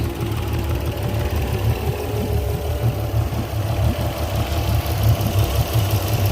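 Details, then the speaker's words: Port Yamaha outboard on a 385 Pursuit: lumpy idle with irregular dropped beats while coils are pulled; not the starboard bank, the bottom cylinder is not firing, and its spark plug and coil are to be checked. "bottom cylinder on the port side not doing anything"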